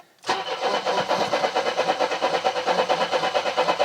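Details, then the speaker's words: Mercedes W123 230E petrol, kept in a barn for 20 years: starter cranks evenly at about two compression pulses a second with a jump pack but never fires. "I've been cranking and cranking, put a jump start pack on it, keep it cranking."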